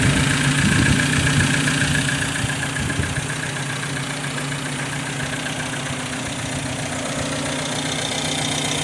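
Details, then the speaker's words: MG TC XPAG four-cylinder, freshly rebuilt with cam already broken in, cold oil: slow, smooth, even idle at 600 rpm with 40 psi oil pressure, no knocks or rattles. Normal idle. "Idling at 600. We have 40 pounds of oil pressure at idle."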